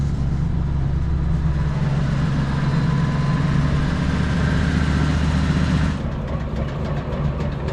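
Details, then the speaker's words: Motorhome rear axle differential drones loudly; rear axle jacked with one wheel lifted, no limited-slip, engine revved so the free wheel spins: rough droning hum that drops off abruptly, heavy runout and vibration; mechanics say it's a bearing. "Ребята говорят, в общем, что подшипник, слава богу. Там, сам посмотри, биение, че бешеное."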